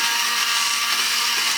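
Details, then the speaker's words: Vintage toy walking robot's small motor after spray was applied. A high-pitched buzzy whir speeds up and runs steady and quick with no stutter. Normal motor running after cleaning. "You hear it speed up? As soon as that spray hit it, it's like 25% more power."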